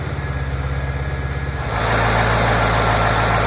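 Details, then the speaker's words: 2008 Mustang GT V8, cold start after an oil change from dirty 6,000-mile oil to synthetic Pennzoil Platinum: a steady, even idle with a smooth pulsing beat that picks up and stays smooth, no knocks or ticks; normal cold idle. "as before we're gonna do its first cold start we'll see how it sounds now understand that the first second or two that it runs it has to move the oil around so it will likely make a little bit of noise but it'll quiet out right away"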